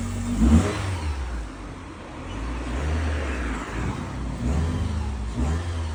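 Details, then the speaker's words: 2011 Mitsubishi Lancer that came in cranking with no start and very low compression on two cylinders, diagnosed as cylinder wash. After clearing flood mode it catches and revs up and down smoothly without misses or knocks, running normally again. "And I was confident at this point the vehicle's going to start and sure enough, it did."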